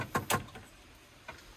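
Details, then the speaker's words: Develon 160 high-track excavator that won't start, with engine management lights on. Engine off, ignition on only: a pair of sharp clicks, then softer ticks about a second apart. This is a stuck air-conditioning flap that diverts airflow, not the starter. "That's one of those gates stuck that diverts the airflow to your windscreen or your face or your back of your head. That's what that noise is."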